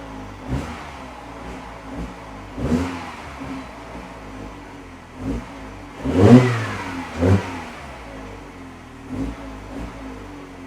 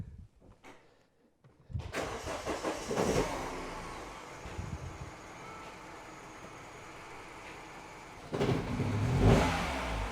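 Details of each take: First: Mini Cooper R56 that misfired when cold, after the fix (sensor replaced). Cold start at 33°C coolant, climbing to 47°C. Throttle blips rise and fall cleanly without stumbling; no misfire. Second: Mini Cooper R56 petrol engine started from cold: cranks, catches roughly, misfires, stumbles and stalls, then is cranked again; misfire occurs only when cold and clears after a mile or two of driving.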